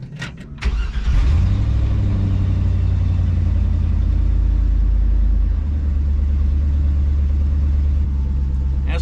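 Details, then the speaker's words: LS-swapped 4.8 Travelall after replacing spark plugs and plug wires for a misfire: cranks and fires quickly, settles into steady, even deep idle with no stumble; running better. "it's definitely running better holy crap"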